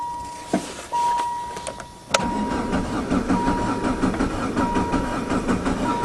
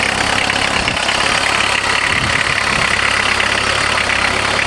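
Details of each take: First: VW Jetta diesel-converted van with a mechanical injector pump, high kilometers, sitting since fall, after glow plugs; slow steady cranking at about eighty strokes a minute without firing, as fuel drained back and air got in; fixed by hand-priming the pump. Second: VW Jetta diesel-converted van with a mechanical injector pump, high kilometers, just started after hand-priming the pump; cold idle with loud even diesel clatter at about four beats a second, no misfire; healthy but noisy while cold.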